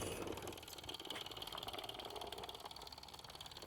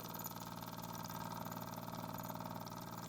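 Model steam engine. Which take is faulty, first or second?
first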